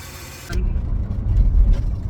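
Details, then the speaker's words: Van starting, repairs (ball joints, spark plugs) by the owner's dad; others suggested a belt noise when shifting, owner unsure; lumpy uneven idle, cause unclear. Rough running engine. "Because people were just saying it sounded like a belt, but it's yeah. I don't know. Yeah, when you shift."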